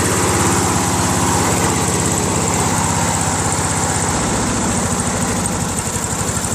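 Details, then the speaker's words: Craftsman LT1000 lawn tractor, 21 HP Briggs opposed twin: lumpy, uneven thumping at low idle with heavy vibration; one cylinder isn't running, its exhaust cold and spark plug wet with water; prior owner reported broken connecting rods. "I don't think the cylinders running that's why the vibration because it's an opposed twin right"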